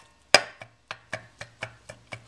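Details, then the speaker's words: 1996 Toyota Paseo 1.5 L, oil pan off, cylinder one's oil circuit blocked by foil: the starved connecting rod is rocked on the crankshaft, giving sharp metallic clacks. The rod bearing is totally gone, metal wearing on metal, and both rod and crank are severely worn. "the bearings in that are just totally gone and it's just wearing on the metal surfaces of the connecting rod which is this this is what the Pistons bolt on to"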